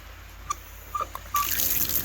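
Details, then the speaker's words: Frost-proof hose bib after its cap was reinstalled: a few drips, then a steady, even rush of water with no hiss or sputter; no leak and it shuts off. "hey we got water there's no leak and it shuts off"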